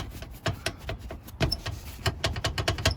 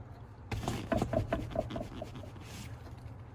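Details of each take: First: Jeep TJ tumble seat mechanism missing its bushings: sharp, irregular bursts of metal-on-metal clicks as the latch bounces loose; seat mechanism rattle. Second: Jeep TJ passenger tumble seat after installing 3D-printed bushing parts (sanded to fit) replacing missing factory bushings: soft irregular clicks and rubs as seat rocks, no sharp metal-on-metal clack; rattle reduced.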